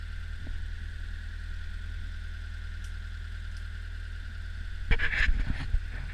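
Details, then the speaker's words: Old Hitachi UH043 excavator diesel after 16 years abandoned in woods, first start: steady low idle chug with even beat, brief handling clatter near end; engine runs smoothly. "Well, she's a runner."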